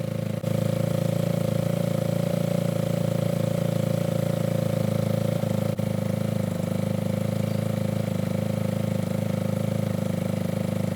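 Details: Yamaha ATV single-cylinder engine idling after carburetor cleaning and about four float adjustments, clearing leftover WD-40: steady, even putter at a constant low beat with no misses or knocks. Healthy idle.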